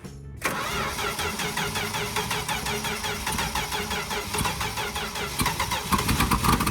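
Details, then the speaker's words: 1964 Dodge D100 truck, sitting since 1996, fed gas poured into the carburetor: cranks, then catches unevenly with a ragged, stumbling beat that never settles to idle; the carburetor's accelerator pump is not working. "Well, the accelerator pump is definitely not working. Which, I mean, like, shocker, but... I gotta admit, this little Dodge truck is fighting us."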